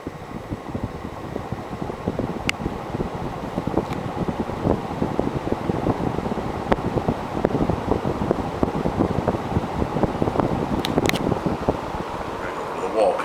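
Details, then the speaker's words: 1980 Casablanca Zephyr ceiling fan, Emerson-made 1.5 amp K63 motor, cranked to high: steady rushing air with faint scattered ticks, no wobble or grind; healthy on high speed. "now I'm gonna crank it all the way up to high and then well well do the spin down from the wall"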